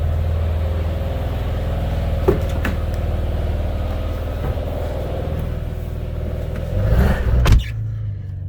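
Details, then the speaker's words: Porsche 996 Turbo after in-tank fuel pump and swirl pot replacement, running about five minutes: steady even idle just under 1000 rpm, no misses or knocks; runs smoothly. "ticking over beautifully just under a thousan"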